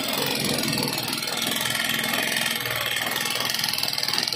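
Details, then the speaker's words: Euro 150 motorcycle engine idling, neglected and very dirty: loud, rapid metallic clatter from a worn valve train, with a very loose valve tappet screw found on teardown. "may gagawin tayong isang Euro 150 ito napakaingay ng makina nito"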